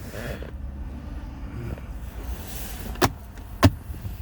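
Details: 2014 Mercedes GLK 250 BlueTec diesel, 179,887 on the odometer, used-car inspection: low even power-window motor hum, then two soft thumps as the glass hits its stops; the window works smoothly.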